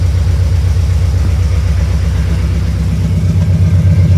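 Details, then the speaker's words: 1972 Mercury Comet small-block Ford V8 after ACE Fusion fuel injection install, idle set 850 rpm reading 900: smooth, even low rumble with no misses, lope or ticking; idles cleanly, better than on the carburetor. "Oh, yeah. That sounds pretty good. I'm not going to grab out of that. That's the best we so far. It didn't run that good with the carburetor on it."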